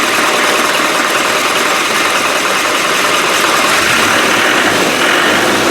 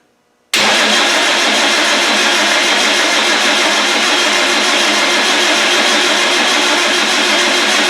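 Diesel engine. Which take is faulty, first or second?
second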